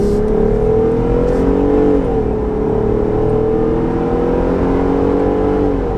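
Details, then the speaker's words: Jeep JL Wrangler at 75 mph after retubed, balanced front driveshaft installed, Pro Rock 44 axle, 5.13 gears: smooth even road hum, no oscillating drone; driveline vibration cured. "now that we have a per Rock 44 no more fad that thing's always spinning the 5 13 gears it was really giving us that buzz 75 I don't hear anything I don't feel anything"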